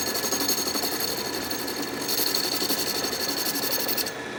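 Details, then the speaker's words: Restored 12-inch Atlas Craftsman metal lathe, deeper test cut in scrap brass, lathe not yet leveled or bolted down: light even cutting hiss and chatter over steady motor hum, no strain; normal turning cut. "cut that looks pretty nice"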